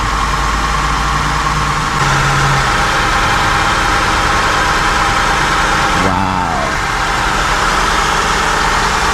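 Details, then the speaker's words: 2002 Honda Accord coupe V6 catches and settles after D101 cable culprit fixed, check engine light on; smooth even idle with no clicking or knocking; normal idle. "No clicking, no nothing. Nice, smooth. Back on. Yeah."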